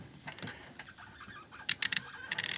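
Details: SK million-tooth ratcheting screwdriver on a backdrag testing machine, low backdrag about 275–300: quick bursts of fine, crisp, even clicks as the handle turns back; healthy ratchet.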